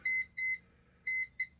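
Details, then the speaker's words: CyberPower CP585LCD UPS: shrill beeper sounding repeated double beeps continuously, indicating a failed battery; holding the mode button silences it, fix is battery replacement. "if it keeps on beeping like that over and over beep beep beep beep series at double beeps"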